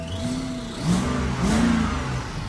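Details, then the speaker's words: 2008 BMW E60 550i V8 automatic with a blown transmission, just after the exhaust was reinstalled: two clean revs with a steady exhaust note and a slight chirp, but no exhaust leaks or ticking. Normal revving. "sounds perfect. No exhaust leaks. But let's see how it drives."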